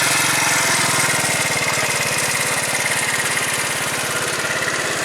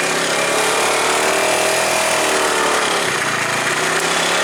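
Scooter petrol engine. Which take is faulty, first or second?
second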